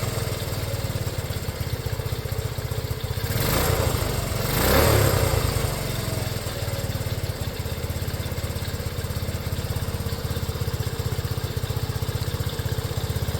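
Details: Restored Honda CT90, started with one kick, fuel mixture screw not yet adjusted: small single settles into a steady, quick putter after a brief throttle blip, running evenly and healthy at idle.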